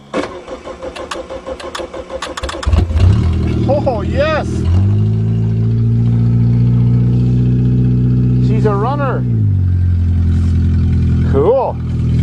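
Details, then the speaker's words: Car unrun since early June, cold snowy December start, battery connection reseated, fuel pump working; starter cranks a couple of seconds, engine catches and settles into a steady, even idle with no misses; runs fine. "cool I guess that's better than a Toyota that doesn't run even if it is a piece of"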